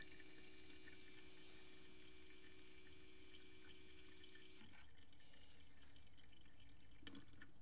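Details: VW TDI CJAA (common-rail, CP4 high-pressure pump) after fuel filter replacement, priming the filter housing without VCDS: faint steady pump hum with fuel running into a container, stopping abruptly; normal fuel pump delivery.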